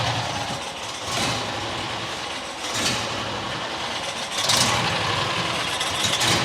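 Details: New John Deere XUV side-by-side, idle screw turned in: idle rises and sags every second or two instead of holding; dirt suspected in carburetor low-speed circuit after a rodent nest, airbox also possibly affecting surging.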